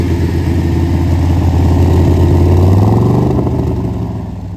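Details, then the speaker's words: 1966 Corvette, 383 stroker, 4-speed manual, weak starter, cranking faster on jumper cables: quick even cranking near four beats a second, deep rumble catches briefly then fades; won't idle, blamed on old gas, fresh 93 octane added. "That's a good sounding car right there. We gotta get it to clear out so it'll idle."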